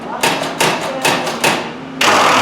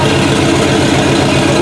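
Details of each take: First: Chopped 1950 Ford Shoebox sat 20+ years, first start attempt on a 12 V battery instead of 6 V: a few ragged pops, then a loud uneven open-pipe roar that sags and stumbles. Sputtering start from fuel starvation; electric pump planned. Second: Chopped 1950 Ford Shoebox flathead V8 after sitting 20+ years, now running: steady, even idle with a soft regular beat and no stumble or knock, 50–60 psi oil pressure, no blow-by. Normal idle.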